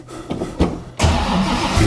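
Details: Engine start of a freshly built 347 stroker in a 1966 Mustang Fastback with T5 transmission (converted to hydraulic clutch): a few cranking pulses, then it fires at once and settles into a steady, strong idle; healthy start. Later erupted coolant, suspected from overheating.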